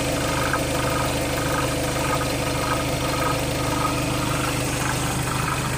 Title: Skoda Octavia 3 2.0 TDI - weird engine sound